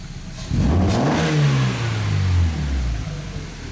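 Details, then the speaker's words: Kit car, first start after assembly: the engine catches, revs cleanly and settles toward idle with a smooth, even note, though there is an oil leak; a major issue later required removing the engine. "sounds good Shame about the oil leak but that's all right does sound really good"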